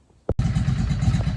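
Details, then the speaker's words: Yamaha V Star 650 that sat a long time, after three or four minutes running with Sea Foam-treated fuel: after a clunk, the V-twin settles into a quick, fairly even idle off choke with no stalling. "okay i've been running it about three or four minutes and now it is idling off choke"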